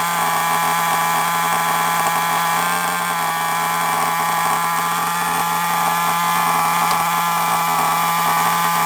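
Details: FTX Carnage nitro RC car at start-up: high, buzzy two-stroke scream holding a steady pitch without sagging, coughing or cutting out; running cleanly.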